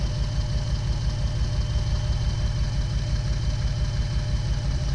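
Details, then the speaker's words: 2008 Jeep Wrangler, flashing check-engine light, misfire on cylinders 2 and 5 despite new coil, plugs and wires; uneven, lumpy idle with a loping low thump, caused by a faulty PCM whose coil 2 control driver isn't grounding. "yeah so that's why our jeep is running poorly and that's why is a misfiring we have a problem with the our pcm is now grounding this wire here"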